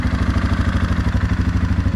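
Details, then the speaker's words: 2016 Suzuki KingQuad 500 4x4 ATV after starter motor replacement fixed a no-start ticking: fast, steady, even idle with no misses, knocks or rattles; the engine runs well. "So it actually runs really well in idle, as you can hear."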